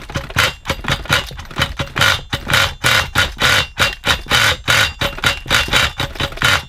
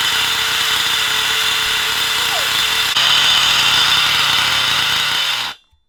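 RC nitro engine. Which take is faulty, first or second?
first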